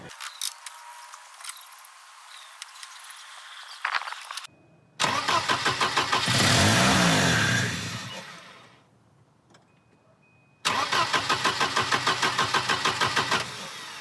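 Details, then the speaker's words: Volvo 240 after a timing belt replacement: steady rhythmic cranking at about three turns a second that never catches; a bad ignition module connector was found and fixed by reseating its pins. "well we're gonna have to hunt the New START issue now"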